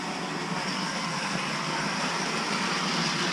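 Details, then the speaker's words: 1989 Lionel GG1 8303 Amtrak locomotive (6-18303, new old stock), after cleaning and re-lubricating, running forward and back: steady, even whir with no catches, grinding or surging. Current draw dropped from 3 A to about 2.7 A at the same voltage; smooth running. "So, it's doing pretty good. Lubrication really helped out."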